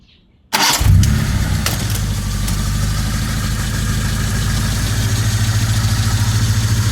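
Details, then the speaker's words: Proton Saga LMST with hot-start trouble, after new starter relay kit, started by bypass bridging relay pin 30 to 87 in neutral: brief starter whirr, engine catches at once and settles into steady low idle; normal crank and start. "With the starter relay, you can start engine without turning the key. This method is for emergency use only."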